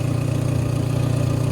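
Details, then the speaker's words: Renault bought as scrap, idling out of gear: a heavy low drone with rapid puffing pulses, exhaust much too loud. The previous owner was told it was the manifold, but no manifold gasket or leak is visible yet; the cause is suspected, not confirmed. "But yeah, we'll give it a start up and we'll have a listen to this exhaust. I will apologise in advance because it is quite loud."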